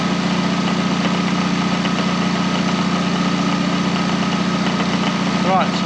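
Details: K11 Nissan Micra Super Turbo, car raised, engine running while alternator output is tested: smooth, steady idle, even beat, no knocking or squeal; alternator gives about 14 V, engine and charging healthy.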